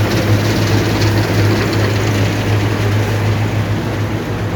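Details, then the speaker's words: Allis-Chalmers Gleaner EA combine separation unit run before refitting the threshing unit, beater bearing being replaced: even deep hum with steady beat, no knocks, rattles or grinding; running smoothly. "so as you can see well as you can hear there's not much noise i've checked it already so i know"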